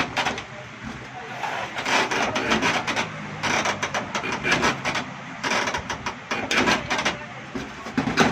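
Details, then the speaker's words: 6-cylinder diesel engine with starting fault, injector nozzle on tester giving irregular sharp chatter with a weak, soft tone; opening pressure about 170 instead of at least 200, all nozzles faulty, to be opened and ground. "इसका pressure, ये आवाज़ भी कम दे रही है और इसका pressure कम से कम 200 होना चाहिए, क्योंकि तमाम नोज़लों में मसला है।"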